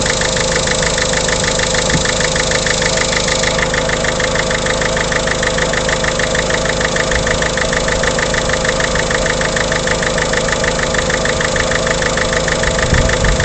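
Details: Peugeot 307 1.6 HDi diesel idling with a steady, regular ticking knock over the diesel clatter, constant at idle; source of the knock not identified.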